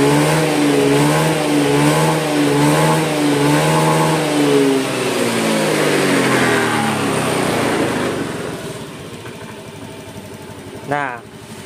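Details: Honda Beat/Vario-type scooter that stalled at stops from lost compression, after adding oil to the combustion chamber: revs freely and evenly, then settles to a brisk, higher idle; runs fine.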